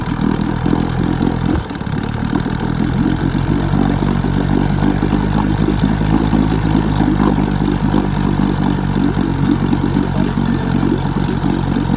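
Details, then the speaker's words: 1966 Evinrude 6 hp Fisherman two-stroke outboard, scrapyard find, once seized, ignition coils just swapped: lumpy, uneven running with a brief stumble, sounding like a lean sneeze. "sounds like it's got a little bit of a uh lean sneeze unfortunately"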